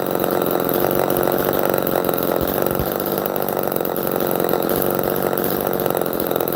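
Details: Old Homelite chainsaw, chain probably unsharpened about a decade: crisp steady high-pitched two-stroke buzz, no stumbling; healthy, normal running.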